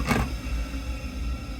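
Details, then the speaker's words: Ideal Logic combi boiler in service mode at low fire, customer reports loud vibration after about 20 minutes of heating: deep droning rumble with a brief rattle at start, heavy vibration; typically indicates a faulty gas valve. "it will start vibrating like mad, which normally indicates the gas valves faulty. There you go. So, if it does it in low mode, it's normally the gas valve that's faulty."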